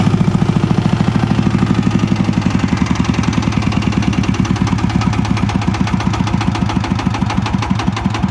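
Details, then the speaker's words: VST Shakti 165 DI power tiller diesel idling with a steady, hollow, drum-like thumping on every firing stroke; the engine also needs extra cranking to start. "তা এই ইঞ্জিনটার যেহেতু আগে আপনি দেখলেন যে চলছিল একটা সাউন্ড আসছে এক্সট্রার ঢোলের মত ডুমডুম ডুমডুম করে শব্দ আসছে সাউন্ডটা ঠিক নেই"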